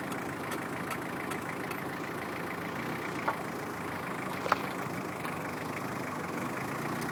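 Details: Pug brake noise: steady idle with two sharp clicks, a little over a second apart, as the brake pedal is pressed and released; cause not clear.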